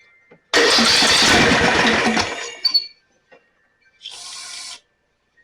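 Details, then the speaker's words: Snapper 28" riding mower, 12.5 hp Briggs & Stratton, after another shot sprayed in: catches under two seconds with ragged firing then dies; flooded engine, plug later found soaking wet, likely worsened by cranking without spark. "Probably flooded now. There's a lot of rattling going on there. That may be the belt, but let's give it another shot of this."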